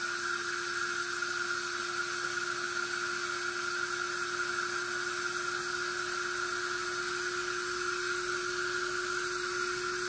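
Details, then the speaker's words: Metal Tesla turbine low-pressure test: clean high whine over constant air hiss, no rubbing or rattling; spinning up healthy, climbing toward 3000 rpm as vacuum builds. "good it's climbing yeah it's climbing slowly climbing because it's getting more and more vacuum"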